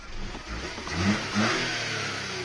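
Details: VW Fox 1.2 petrol (BMD engine) that had unstable idle and would not accelerate after a throttle body replacement, now working: blips twice, revving cleanly and settling back without stumbling; normal revving.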